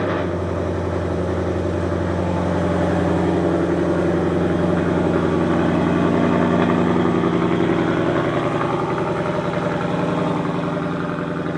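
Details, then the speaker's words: 2023 Ford Mustang GT V8, first cold start on a new Lund ghost-cam tune with stock headers: steady elevated high idle with an even, slightly lumpy cam pulse and no knocks before the idle chop begins. Normal cold-start high idle. "So it's gonna high idle for a while before it does the chop, but hopefully it sounds all right."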